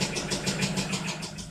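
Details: Citroen Xantia 1.9 turbodiesel with a damaged crankshaft journal on cylinder three, running with the accessory belt off: even idle clatter about seven beats a second, running steadily, with oil pressure present; diesel idle with oil pressure.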